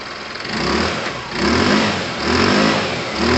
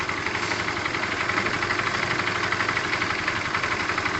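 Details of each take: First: Tamoretti with replacement carb warming up before a test run: single cylinder blipped in short even bursts, revs rising and falling cleanly with no miss; healthy warm-up. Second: Tamoretti with replacement carb idling while the air-fuel screw is turned out half a turn: steady, fairly even single-cylinder idle with hissy top end, revs rising only a touch; carb still being tuned.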